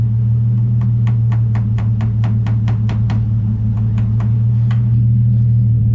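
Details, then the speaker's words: Nissan 350Z after limp-mode fix by repairing a rubber grommet: steady low idle hum with a light, even tick about three per second; idle and engine sound normal. "all right so the idol is normal everything else seems normal even that sounds normal"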